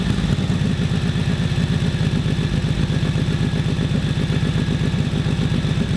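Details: 1941 Harley-Davidson WL 45 cubic inch twin after ignition timing set: uneven, lumpy low thumping at tick-over, about two beats a second; rough idle, mixture won't adjust properly, carb float level suspected, not confirmed.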